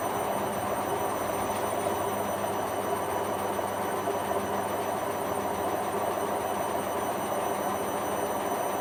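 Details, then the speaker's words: Hotpoint Aquarius Extra WMA40 washing machine spinning up with a large unbalanced laundry load: rising drum whir with an uneven lurching rumble, bearings audible, but it handles it. "it's getting up to a better spin now but it's quite unbalanced"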